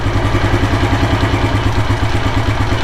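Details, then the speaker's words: 1984 Kawasaki KLR600 kickstart-only single, cold start after sitting 7–10 days, choke just removed, settling to idle: slow, loping thump a little under two beats per second, idling a bit low, adjustable with the idle speed screw. "So it's idling a bit low. That can be adjusted down here with the idle speed screw."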